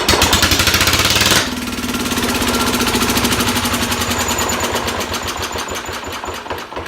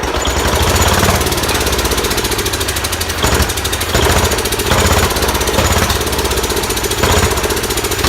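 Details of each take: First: Sears SS16/SS18 tractor engine, untouched, started on the first rope pull with carb cleaner in the carb throat and the exhaust cap just removed: a harsh start, then a loud, even, rapid single-cylinder beat with no misses. It runs well. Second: Large Kohler K331 single-cylinder engine on its second start, muffler just fitted, running on sprayed carb cleaner: a strong, fast, hard-hitting beat with occasional sharp pops as it backfires out the carburetor, but it runs well.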